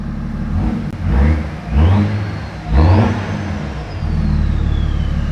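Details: 2009 BMW 335d diesel after downpipes, full exhaust, intercooler, EGR and swirl valve delete and DPF removal, covers off, ECU not yet pulled. It revs in three quick blips and settles back to a smooth, even idle with no knocks: normal rev.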